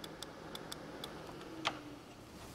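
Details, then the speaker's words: 2006 Vauxhall/Opel Astra 1.8 with an overheating and coolant-loss problem: a relay being tested with power on pins 86 and 85 gives sharp, evenly spaced clicks, then a louder snap, showing it is switching normally. "there we go and you can hear the relay clicking as well so that's good you can actually feel the relay clicking"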